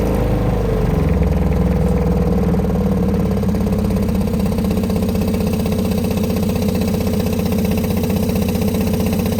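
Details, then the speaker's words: Newly installed Remco Aqua-Jet RV water pump in a fifth wheel storage compartment, also leaking and cycling on and off: loud, harsh droning buzz with rapid shaking pulse, vibrating the whole trailer. "I know, and then it does that when the water comes out, it shakes like that. Isn't that crazy?"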